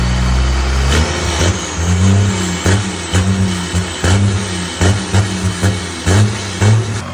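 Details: 1986 Ford F350 bullnose with a swapped-in 12V Cummins diesel: deep steady clatter with repeated throttle blips that rise and settle cleanly back to an even idle; healthy running after the swap.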